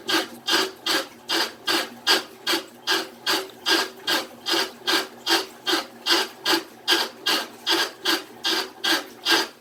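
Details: Amana washing machine grinding with rapid, regular rasping scrapes, caused by a loose nut at the bottom of the machine; easy fix.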